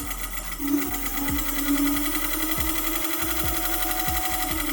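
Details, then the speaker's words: Electric scooter: a light rhythmic scrape about twice a second, once per wheel turn, over a steady hum; brake pads touching and rubbing on the brake disc, fixed by brake adjustment. "it could also be that your brake pads are touching the brake disc and your scooter is making that scraping sound"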